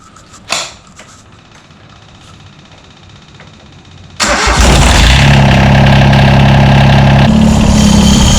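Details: John Deere 332 garden tractor just after a hydraulic/transaxle, engine oil, air and fuel filter service, electric fuel pump primed and bled: a quick crank, then the engine catches at once and settles into a strong, steady, even run. Normal running.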